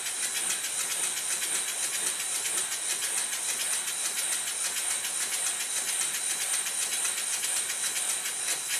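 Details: Rebuilt Stuart model steam engine after a wrongly oriented slide valve was corrected and the engine retimed, on low pressure. Quick, even chuffs of three to four a second over an airy hiss; running freely and perfectly.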